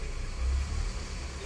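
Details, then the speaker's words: 2008 Scion tC after diagnosing and repairing a misfire, codes cleared: quiet even low idle with no stumble or shake; normal idle after repair. "all right y'all we're back in the car plugged my reader back in we've cleared the codes we're not idling rough we're running"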